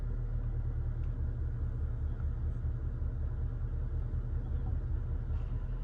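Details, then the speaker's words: 2002 Mitsubishi Lancer, first startup after replacing ignition parts: low, uneven loping idle around two or three beats a second with the engine rocking back and forth; rough idle, cause unknown. "that's definitely the car rocking back and forth. I don't know what that's all about. Yeah, the car's definitely rocking back and forth."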